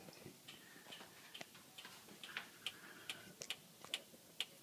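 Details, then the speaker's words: 2014 Acura MDX SH-AWD, microphone in the driver's front wheel well: irregular light ticks, a couple per second, as the body is rocked; the same noise occurs when driving at 5-40 mph and has worsened over 500 miles; source unclear. "I'm in the driver's front wheel well and this is the noise it's making so that is the exact noise that is uh consistently occurring"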